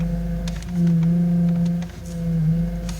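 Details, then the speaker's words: Car standing still while the steering wheel is turned: a steady low whine rises and falls with the steering. Power steering pump whine, likely from low fluid letting air into the hydraulic system; fix is topping up the reservoir. "it likely means that the power steering fluid is low and air got into the hydraulic power steering system as a consequence"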